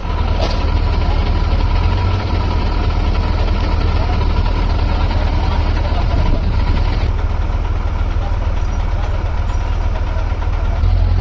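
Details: Six-cylinder truck diesel starting after rebuild: catches and settles into a steady, even low rumble with no knocks or misses; healthy idle.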